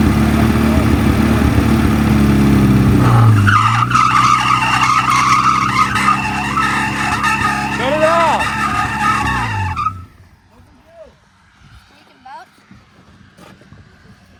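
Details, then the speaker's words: 1961 Mercedes-Benz 190, first run after sitting 35 years, fan belt sprayed with WD40: a high squeal rides over the running engine, stopping when it shuts off; loose fan belt slipping, needs tightening. "we got some blew out on the fan belt and so it uh started squeaking away started squeaking away cuz it needs tightened up all that WD40 we sprayed on there"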